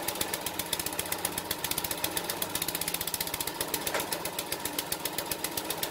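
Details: King O Lawn edger, 2hp horizontal-shaft engine, after carb clean and jetting, drill-started on choke for a test run: single-cylinder putters at a fast, fairly even beat with no misses; running properly.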